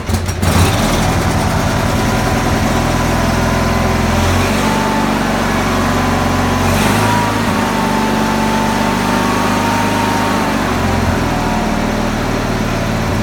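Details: Tractor run in neutral at about half throttle after choking, in a shed; steady, even engine note with regular low beat and no knocks or misses, running healthy.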